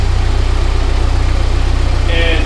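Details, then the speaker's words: Volvo 745T, LH 2.2 system, idling after turbo and exhaust manifold install; the fault was the ECU, now fixed. Steady, even low idle with no hunting or surging, settling and holding smoothly: normal idle. "car runs great now i can concentrate on everything else it runs it runs really well"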